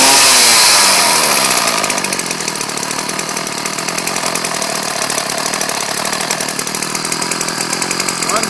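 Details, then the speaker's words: Ryobi 790r two-stroke trimmer, running after its dirt-clogged carburetor jet and bowl were cleaned, started in about 40° cold. High buzzy note revs, then settles into an even, steady run with no misses; running well. "good God these things move around a lot but uh it's running good as you can see"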